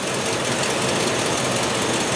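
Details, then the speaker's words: 2003 Silverado with lack of power, P0300 random misfire code, cylinder not identified: idling a little shaky with uneven lumpy beat under exhaust rumble, door shaking; engine misfiring. "The engine is idling right now, as you can probably hear, and it is idling a little shaky."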